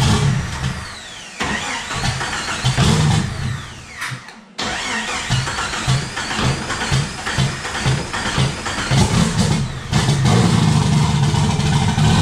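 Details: Turbo Jeep on Megasquirt MS3X with 80 lb EV1 injectors, cam position sensor reset and base timing being set: cranks, catches and settles into a lumpy, uneven low rumble; engine starts and runs but still needs tuning.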